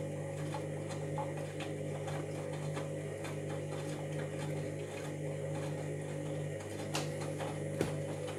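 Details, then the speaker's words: Washing machine at startup as the drum begins rotating: low steady hum with irregular faint knocks about once a second, a grinding rotation noise. "Yeah, you'll hear like a noticeable grinding noise in a minute."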